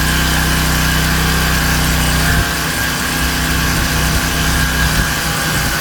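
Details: King Canada Powerforce 1500W generator, small single-cylinder engine, no load, governor adjusted to about 120 volts: brisk steady speed with even buzz, no hunting; normal governed speed.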